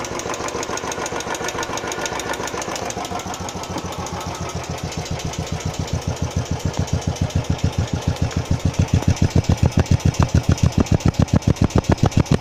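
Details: Royal Enfield Classic 350 single-cylinder running after first service: sharp, even tick about 214 a minute growing louder; owner suspects tappet noise, recurring after about 150 km, cause unconfirmed.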